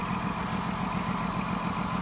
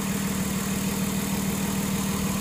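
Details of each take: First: 2006 Ford Taurus 3.0L with codes P0305/P0316; cylinder 5 dead and its plug oil-fouled; steady rhythmic stumble at idle; misfire from a failed fuel injector. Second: 2006 Ford Taurus 3.0L after fixing cylinder 5 misfire (P0305, P0316; dead cylinder with oil-covered spark plug, new plug fitted): smooth, steady, even idle with no stumble or skip, all cylinders firing cleanly, fuel trims good.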